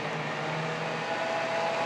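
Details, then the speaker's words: Monarch 10EE lathe after a DC motor drive conversion, with the new electronics installed and rewired, first run in forward: a steady low hum under a clean, even whine with no knocks or grinding; the drive works properly. "I got my electronics in the machine and everything seems to be working."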